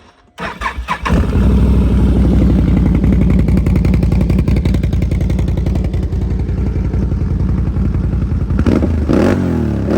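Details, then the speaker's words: 2019 Can-Am Outlander 1000 ATV, 22,000 miles, stock head pipe with welded exhaust; starts and settles into a deep, even V-twin thump with a good bark on throttle, not aggressively loud; normal running. "you know for being you know just the stock head pipe and welded on it's not aggressively loud um but it definitely does have a good bark"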